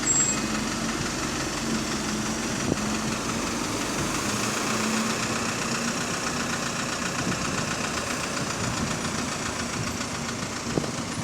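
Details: Rough diesel idle on a GAL SE101 bus (route 286) with an uneven knock about two or three per second under the engine note, like a worn rod bearing: rod knock; the bus also limps without kickdown.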